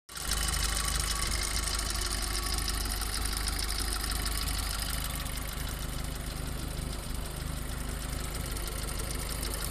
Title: builtnotbought - cold piston slap forged CDL Viz HPFP #notstock #golfgti #stealthracinguk #vw #tfsi